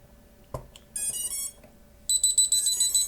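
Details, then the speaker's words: Fast, shrill high-pitch buzzer beeps, about three or four a second, from a homebuilt STM32 drone flight controller (MH-FC V2.2) at power-up: throttle stick on the FS-i6 transmitter is raised, not at bottom, before entering normal mode. "아까 같이 고주파 비품이 이렇게 빠른 속도로 계속 반복적으로 들리고 있습니다. 지금 이 의미는 기본 동작 모드로 들어가기 전에 이 스로틀 키가 위로 올라가 있는 상태다 라는 걸 나타내는 거고"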